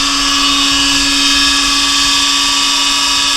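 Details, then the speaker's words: Monarch Merit lathe (16" swing, 1965–74) converted from non-working DC drive to AC drive with VFD, carrier frequency about 8 kHz, running at 90 Hz (150% of normal): clean, constant high whine, steady pitch, no rubbing or knocking; normal high-speed running. "so with 90 hertz so 150 percent of normal"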